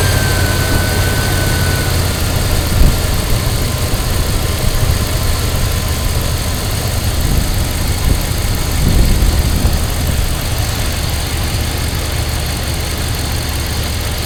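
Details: 2000 Dodge Durango, 5.9 L V8, started using a charger's engine-start mode after a weak battery caused no-start. It settles into a smooth, even idle with no knocks or whine, and the alternator puts out nearly 30 A at idle.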